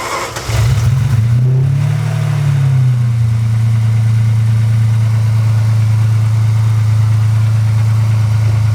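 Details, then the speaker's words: 1995 Ferrari 456 V12 after new timing components, tensioners, belts and pulleys, a rebuilt water pump, and new O2 and crankshaft position sensors. Brief crank, then a smooth, even, deep idle with no knocks or misses: normal start and idle. "So, didn't that sound amazing? These these V12 Ferraris sound really, really good."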